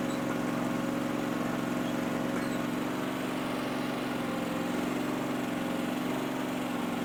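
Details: Powerease R740D twin-cylinder engine on a Chinese CRT-23 mini skid steer, after fixing fuel problems with an added fuel pump; steady, even drone with no surging or stumbling, idling smoothly where before it would pop and shut off.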